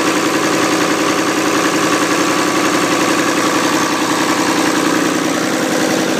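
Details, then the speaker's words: Ford 2708E diesel engine at a settled idle: steady, even clatter with no misses, knocks or hunting; it is running sweetly and normally. "to idle. You can hear that sounds really lovely."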